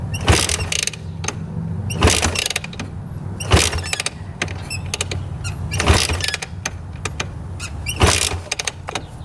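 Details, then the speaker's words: 1986 Honda TRX250R quad, kick-started after sitting: about five sharp kicks with good compression and no knocking, but it never catches; cranks but will not start. Owner guesses the carburetor needs cleaning from sitting. "kicks over good. Feels like it has really good compression. I don't hear any knocking in the engine at all, but she doesn't want to run."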